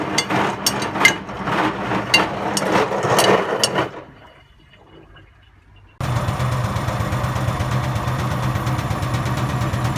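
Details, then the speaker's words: Hotpoint WMA50 washing machine, left out in rain 2–3 months, fast wash with about 10–15 kg of heavy chains: loud irregular metallic clanks and bangs as the drum turns as the chains hammer inside, then quiet and water rushing in to refill for a rinse. "I think a lot of the noise is just coming from this."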